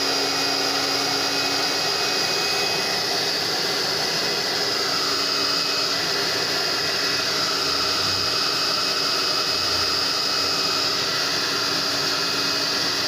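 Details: Tecno Elétrica Fórmula 6000 Turbo hair dryer after its repeatedly breaking heating element was replaced with one adapted from another dryer, already warm, reaching about 110 °C: steady airy roar with a fixed whistle, no sputter or rattle; normal running.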